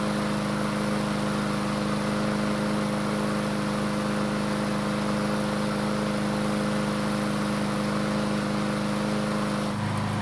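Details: Troy-Bilt mower that wouldn't start after winter storage, test start after repair; steady even single-cylinder drone, no misses or knocks. Runs normally, though it began burning oil after about 20 seconds, likely from being tipped on its side.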